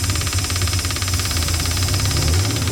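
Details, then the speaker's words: 1977 Dodge motor home with 440 engine, first start after sitting for years: fast high idle with a deep throb that stumbles now and then, slightly missing on a cylinder but running fairly well. "it's a little bit missing but it seems to be working pretty good"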